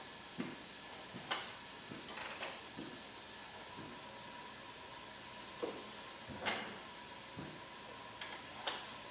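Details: Hyundai Genesis 2.0T R-Spec with milky oil and compression of 110/70/90/90. During leak-down a steady airy hiss runs under handling clicks, with 80% escaping out the exhaust. Exhaust valve not sealing suspected, head gasket possible.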